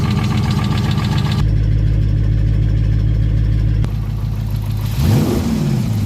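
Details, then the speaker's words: 2020 Dodge Charger 6.4L at idle: irregular knock riding on the steady idle, clearing briefly with a blip; heard under the front valve cover, possibly cylinder 2. Cause suspected, not confirmed. "And here we have a noise coming from the engine. And it sounds like it's somewhere in the front area. Maybe cylinder 2. I believe that's what it is."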